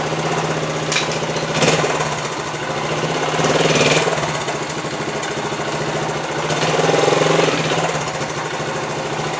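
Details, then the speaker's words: Honda TL125 motorcycle, about 50 years old, after carburetor rebuild for a gas leak: small single idling quick and fairly even, three to four beats a second with mild swells; healthy, no leak overnight. "yeah that looks good that sounds good right there for 50 years old"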